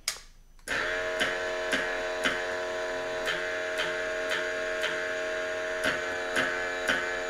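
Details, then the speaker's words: Yamaha Super Tenere ABS pump running its bleed cycle, triggered by holding front brake and rear pedal plus start button for 4 seconds with the jumper fitted; a loud hard buzzing with a faint pulse, felt through lever and pedal. "So you could hear it's pretty noisy, and you can actually feel the pump engaging kind of under your fingers and under your foot."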